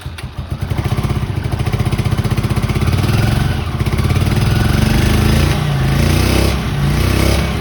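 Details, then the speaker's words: 1981 Honda CX500 twin, 32,000 miles, laid up since 1995, freshly overhauled: freezing-cold start with no choke catches quickly, settles into an even twin beat near four pulses a second, then revs cleanly; normal healthy cold start. "what it's going to do start from cold so you can all hear it start for cold obviously there's exhaust absolutely freezing cold not started today so let's see what it starts like with no choke whatsoever"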